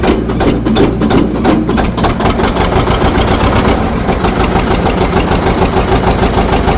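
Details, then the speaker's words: 1959 John Deere 730 two-cylinder, sat outside about a year and a half, first start via clutch push with compression release, good oil pressure: heavy slow pops settling into steady lumpy beat; runs cleanly, normal running after first start. "There it goes. Got lots of oil pressure. Put this out of here. Okay. That's nice to hear it running. Well, that runs pretty good. That sounds real nice."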